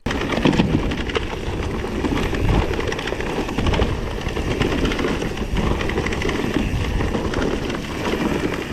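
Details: Rattle from the new Bosch Performance CX mid-drive e-bike motor while coasting or descending rough trail without pedalling: a loose, irregular, dry chattering clatter over trail rumble, not pedalling noise.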